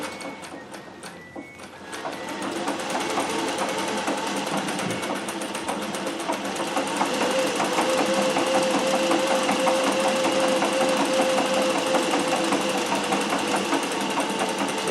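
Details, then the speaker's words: Singer 411G, fully geared rotary mechanism, treadled with a custom heavy balance wheel, stitching faster. Quick, even needle chatter with no knocks or binding. It now sounds and feels largely the same as a Singer 201; normal smooth running. "they're completely geared inside full rotary mechanism so why they not the same and now that I've got this wheel what you can hear is that they are the same it feels largely the same"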